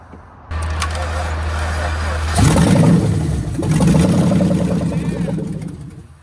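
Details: 2003 Chevy Suburban with freshly swapped engine, running without a mass airflow sensor: catches and settles into an even idle, then two clean revs rising and falling smoothly, no knocks or misses; normal running.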